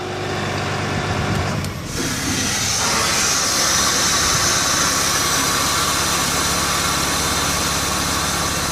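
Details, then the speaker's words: VMAC VR70 under-hood truck air compressor shut off: after about two seconds the note changes and a loud steady hiss takes over as air left in the lines discharges; normal blow-down after shutdown. "And when we shut it off, it discharges the air that's just in the lines, basically."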